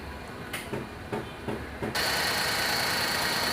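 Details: Maruti Suzuki Wagon R K-series, company-fitted CNG, uneven idle with lumpy thumps about three a second, then loud hiss; misfires only on CNG, smooth on petrol, code P0202 injector circuit open cylinder 2.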